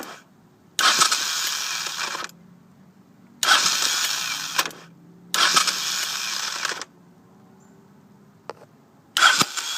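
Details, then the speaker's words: 1983 Honda VT500C with 1985 carburetor: four short bursts of high, thin starter whirring with no engine catching; owner suspects the starter clutch or its springs are slipping, starter gears fine. Cause suspected, not confirmed. "see I mean if I get a good crank on it it starts great but I I can't get the thing to start you know good enough here we go again"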